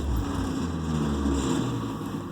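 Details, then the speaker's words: Project vehicle cranked after priming the fuel lines, no throttle: steady low churning with a brief attempt to catch, but it never fires or idles. Cause unconfirmed. Crank no-start. "So it tried to fire. Obviously did not."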